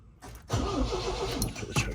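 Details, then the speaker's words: MG MGB GT stored for 20 years, first start attempt after draining old fuel and rebuilding the fuel pump, with choke pulled, out of gear. Starter cranks steadily for about two seconds without catching; spark is present but weak and the points need cleaning. Crank, no start. "Nothing yet. It's a spark. Not a great one."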